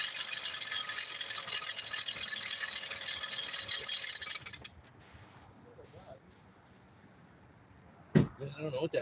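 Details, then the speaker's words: 2005 Hyundai Sonata 2.4L during timing belt replacement, pulleys not installed: fast, uneven metallic rattle about four per second that stops at shutdown; engine runs smooth but sounds wrong, source undetermined. "But it's running smooth. It just doesn't sound good."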